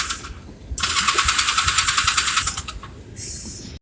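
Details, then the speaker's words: Small engine with weak battery and slight fuel leak, run the day before: pulses unevenly about three beats a second, surging, sagging, nearly dying, because the fuel tap was turned off; fuel starvation. "well dumbass me the fuel is turned off that's why it's not running too good"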